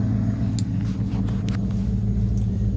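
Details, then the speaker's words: 1973 Ford LTD, 460 4V big-block V8, low compression, almost 85,000 miles, started in winter after sitting 2–3 months: deep, even V8 rumble holding idle without surging or missing, a normal warm idle. "that's a cold start on the LTD it's a 460 4V 1973 low compression almost 85,000 mil on it"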